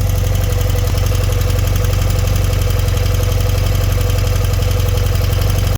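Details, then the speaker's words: BMW R100RS: steady fast idle near 1500 rpm that won't drop despite idle screw adjustment, because the throttle cable was trapped in the fairing in front of the forks, holding the throttle slightly open. "Yeah, what was going wrong there, as I was trying to adjust idle speed, was that I was unaware that the throttle cable was trapped in the fairing just in front of the forks, and it had actually been applying a little bit of throttle, so enough to pull it up to 1500 RPM."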